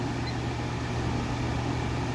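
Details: Vornado 280SS 10-inch high-velocity desk fan, mid-1990s, solid-state variable speed at full high (1.2 A, ~94 W, power factor 62-63): smooth steady airflow rush with faint constant low hum, no ticking or scraping; normal running.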